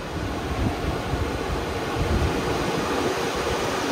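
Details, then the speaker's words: Lincoln Mark 8 electric cooling fan fitted to an 2003 Cobra Terminator, run through a fan speed controller stepped from 20% and 60% up to 90% full power: steady heavy rush of air, loud but smooth, no rattle or scrape; normal. "And there it ramps up. That's getting kind of loud. So let's go 90%, full power."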